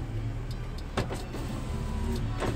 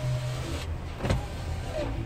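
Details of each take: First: 2004 Mercury Sable wagon, right rear window that works only intermittently and then would not go down: steady low motor drone under the car hum; intermittent power window, electrical fault being traced. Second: 2004 Mercury Sable wagon, right front window: short, smooth electric motor hum as the glass travels, no grinding, clicking or strain; normal power window operation.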